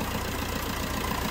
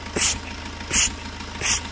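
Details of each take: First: Fiat Punto 3 diesel at idle after its injector seals were replaced. Steady, even, clean clatter with no more puffing or hissing of compression leaking back past the injectors; a normal, stable idle. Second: Fiat Punto 3 diesel at idle: sharp hissing puffs about every 0.7 seconds, combustion gas pressure escaping past a failed injector seal, before seal replacement; may also cause engine light and gas smell in cabin.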